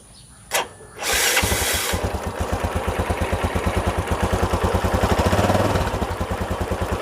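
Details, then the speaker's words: Yamaha Jupiter Z1 bored up to 125 cc with cheap parts, just fitted with a full TDR clutch set: quick, slightly uneven idle of about three beats per second, somewhat coarse but tolerable; owner attributes the roughness to the cheap bore-up parts and the TDR clutch. "Suaranya kayak gitu ya ia bisa dikatakan masih cukup bales ya masih bisa ditolelir meskipun Memang agak sedikit kasar"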